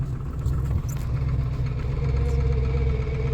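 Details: 7.3 turbo diesel truck on a cold winter start after slow cranking, with battery voltage dropping to 10.8 V. It catches and runs lumpy and uneven with a heavy rumble that slowly settles. Rough cold idle; old weak batteries suspected.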